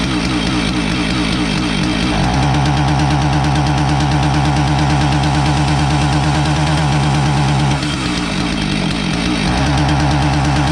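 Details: Husqvarna 450 chainsaw, two-stroke, starts fine but won't rev: revs surge and sag unevenly, bogging and stumbling on throttle even with choke richened, so not fuel starvation. Ignition misfire, not carburetor.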